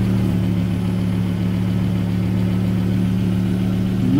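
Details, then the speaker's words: 2009 Volvo S60, 175,000 miles, idling just after replacing the original fuel filter while checking for leaks, none found: a steady low idle hum with an even, unchanging drone and no misses, ticks or knocks. Normal idle. "the next step is we've got to start the car and make sure this doesn't leak as you can hear the car is running and over here no leaks there"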